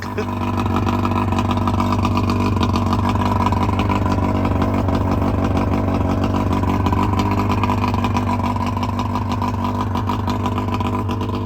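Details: 1999 Bayliner Capri with 125hp Mercury outboard during rebuild, extra oil premixed in the tank: steady, even drone with strong low throb, no knocks or misses; runs smoothly and healthy, though a small pressure-valve leak was found.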